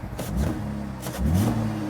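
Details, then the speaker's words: Cadillac SRX4 with engine hesitation, power loss and check engine light: revved twice, dull uneven roar with slight stumble as throttle opens; sounds like not breathing correctly, mechanic suspects clogged catalytic converters, unconfirmed. "Yeah, the engine doesn't sound good. So, when I rev it up, it sounds like it has clogged catalytic converters. There's that little droo d when you first uh step on the accelerator pedal. It's like the engine is not breathing correctly."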